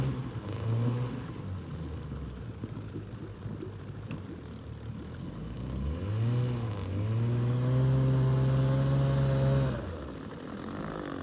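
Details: Outboard on an abandoned jon boat, sat over winter and unknown if it ran, first start attempt in water: two-stroke catches, revs up and settles into a steady, even buzz, no misfire or knock; runs better than expected.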